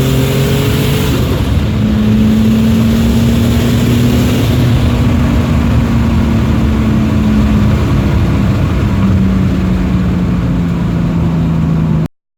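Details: BMW E46 turbo build on a driving pull before the boost spike to 14 psi that later damaged it: turbo engine pulls strongly, the tone rising and easing smoothly; healthy under acceleration with the AFRs dialed in.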